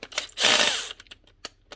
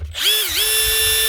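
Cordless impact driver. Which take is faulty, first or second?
first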